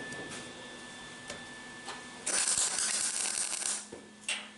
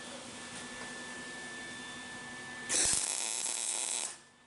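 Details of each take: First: MIG welder striking an arc with ground clamp on a grassy/dirty table while building a 1964 Ford Falcon: brief harsh crackling arc that pops and sputters from poor ground; cleaning the ground surface fixes it. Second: MIG welding on a 1964 Falcon hot rod build with the ground moved onto the workpiece: steady bright frying hiss with no popping, in contrast to the popping from a poor ground.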